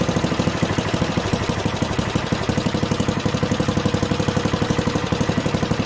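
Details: Junkyard Ditch Witch C99 trencher, old, year unknown, small single-cylinder engine: steady, even beat near three pulses a second at low throttle, no knocks; running halfway decently, though the self-propelled drive doesn't work.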